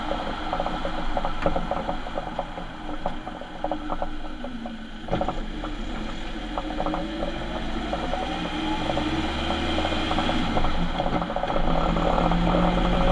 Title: What a bad diff sounds like on a transit van